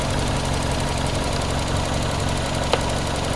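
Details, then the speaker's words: 1994 Toyota Celica, single-coil ignition, intermittent weak spark on one cylinder, distributor cap suspected: just started, steady even idle with no stumbles or skipped beats; the misfire is absent at the moment. "It just started. Yep, it's running good"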